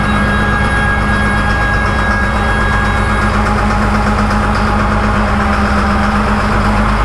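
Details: Ex-USMC Cat 563D vibratory roller compactor diesel with only 25 original hours, started after a fuel filter change and bleeding the fuel system: it catches and settles into a steady, even, deep idle with no knocks or misses.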